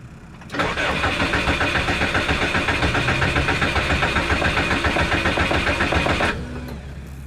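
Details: Subaru with a no-start issue, primed and given throttle while cranking: starter cranks steadily at about 3.5 beats a second for six seconds, and the engine never catches; crank, no start.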